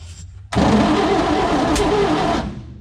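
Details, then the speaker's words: 1954 Chevy COE truck barn find, cranking after new fuel pump fitted: sharp loud snap like a giant spark on first crank, then about two seconds of rough cranking without running; cause uncertain, possibly exhaust firing, suspected no fuel. "what's that sound you hear that what's that the big snapping sound it sounded like a giant spark like a giant spark"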